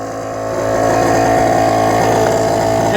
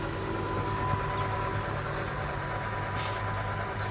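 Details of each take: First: 2000 Mercedes-Benz S500 air suspension: loud, harsh buzzing drone builds and holds as the car is raised; worn air suspension compressor. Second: 2000 Mercedes-Benz S500 Airmatic air suspension after replacing a cheap part, suspension settling: quiet steady electric buzz and hum from compressor, no rattles or straining; normal operation, car now lowers slowly.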